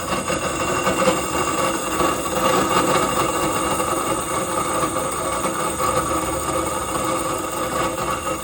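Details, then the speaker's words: York package HVAC unit evaporator blower motor running alone, mechanically disconnected from the blower wheel: steady hum with a rough gritty rattle underneath; worn blower motor bearings, motor to be replaced, blower wheel judged fine. "so the blower motor by itself is making all of this"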